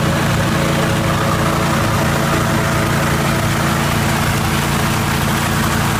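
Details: 1980 Jacobsen Turfcat 60-inch mower after PTO shaft repair and regreasing: steady, low engine drone with an even beat, no knocks, surging or rattles; runs smoothly.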